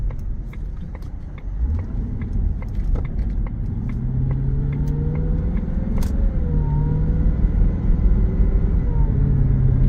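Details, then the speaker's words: 2006 Jaguar XKR convertible with 71,851 miles, driving on the road, gives a faint supercharger whine rising and falling with engine speed over road rumble; normal, with smooth shifts. "That supercharger whine just a little bit. Super cool."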